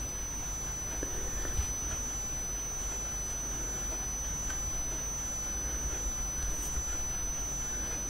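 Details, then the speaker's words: Thin steady very high whistle under room noise during a wax-seal craft session; the speaker wonders whether her TV is the source; constant high-pitched whine. "Je sais pas si dans le son vous entendez une espèce de sifflement. Moi je me demande si c'est pas ma télé qui siffle comme ça."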